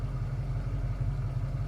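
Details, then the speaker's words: 1991 Ford Bronco 5.0 fuel-injected 5-speed, after chasing code 41 lean/O2 sensor fault: smooth, even low idle rumble with steady firing, no misses or knocks; revved and returns right back down, idle holds level and healthy. "okay again another rev comes right back down"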